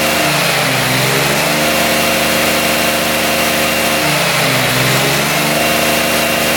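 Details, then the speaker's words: 2006 Honda Metropolitan scooter after fitting a new carburetor (from a Ruckus) and new intake boot: revs up and settles back twice with a clean even buzz, no stumble, revs out completely; normal running. "That definitely sounds better. [Applause] So, it's rubbing out completely."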